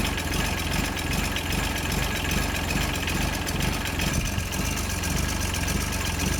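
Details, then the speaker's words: John Deere 755 compact utility tractor, Yanmar 3TN diesel, first start after rebuild: chugging roughly at idle with an uneven scraping rub over it; flywheel catching on its bent flywheel shield. "I don't know what's going on with this flywheel back here but it's not happy about something I think best I can tell it's just rubbing on the flywheel Shield"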